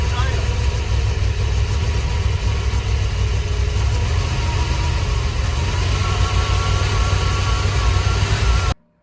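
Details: Camper van with a hard-start problem, restarted after an attempted fix: a steady, somewhat uneven idle for about nine seconds, then it cuts out abruptly and stalls.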